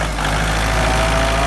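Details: Kubota farm tractor after a no-start was fixed by adding and cleaning the battery-to-frame ground (negative) cable: restarted with a steady, even diesel idle and low drone, no knocks or misses.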